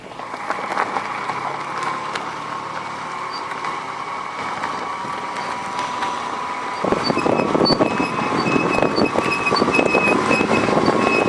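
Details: Brake pad squealing because sand or stone wore a circular groove into the disc, leaving a ridge on the pad: thin steady high squeal over rolling road noise; sanding the ridge stops it, but the disc needs machining.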